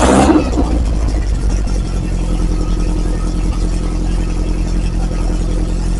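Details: Freshly refreshed Lotus Esprit engine, not fully warmed (about 30–40°C): loud, deep exhaust note that rises and settles smoothly on the throttle, with no stumbles or knocks. Healthy.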